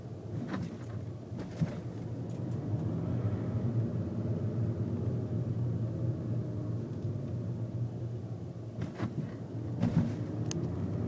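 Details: VW Golf TDI mk VI driving: road rumble at steady speed with a few dull clunks near the start and again later; suspension clunk over bumps.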